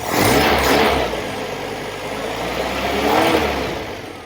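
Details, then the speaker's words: Sunbeam Alpine Series V with Stromberg carburettors after swapping the nylon fuel T-piece for a brass ethanol-proof one with NBR O-rings, engine a little cold: two clean throttle blips returning to smooth steady idle, no hesitation or misfire, no leaks. "See what she sounds like. Okay, she's running away now. The engine's running a little bit cold, a little bit."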